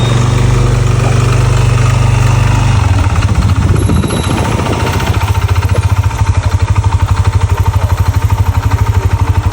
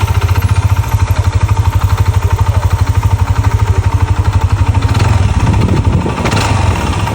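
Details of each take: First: Yamaha NMAX scooter idling with a rough, loud clattering knock like a lawn mower, plus vibration; stuck piston rings and an oil passage problem scored the piston and cylinder block. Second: Yamaha NMAX with Juken ECU after major overhaul replacing scored block and piston with stuck rings and oil-passage problem: even steady idle thump, brief clean rev, no knocking or rattle; previously noisy like a grass cutter and vibrating.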